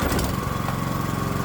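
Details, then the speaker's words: 212cc Predator small engine on a custom adjustable electronic ignition (GM LS coil pack, inductive proximity sensor), timing about 24° BTDC: starts right up, steady even single-cylinder firing with no misses or knocks; runs clean. "Wow, it started right up. Very nice."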